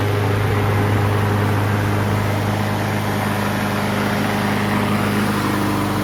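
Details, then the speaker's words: 20-year-old Craftsman EZWalk mower, well maintained, two-piece brake control cable replaced: small single-cylinder engine holds a steady, even drone with no surging, misfiring or knocking. Normal running. "so this machine runs really well let's go ahead and start it up"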